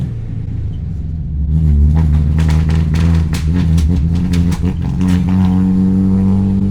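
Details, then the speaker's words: Classic project car during test drive after vacuum leak work, 2-into-1 exhaust manifold with flaking paint: revs with rough rumble and sharp irregular pops under load; popping and banging, cause unclear, needs new motor mounts. "Just went for a test drive. It was popping and banging like a motherfucker."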